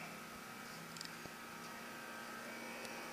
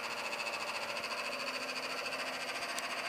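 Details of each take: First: AC unit after cleanup and sealing leaks with 3M HVAC tape: quiet, even airflow hiss with a faint steady hum, no rattles or surging; running smoothly and healthy. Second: AC unit after cleanup: steady whirring hum with a rough, pulsing rattle about three times a second; condenser fan making a racket, owner suspects a failing fan motor bearing and a new motor needed.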